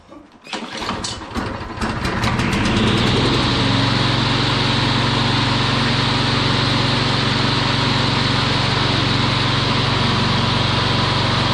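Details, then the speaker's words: Troy-Bilt TB360 rear-wheel-drive mower, run after four years sitting, with the jammed self-propel ring gear removed to convert it to a push mower: pull-start chugs, then a steady, even run. The earlier metallic clanging at startup is gone. "I would say that is a winner now I got a push mower again"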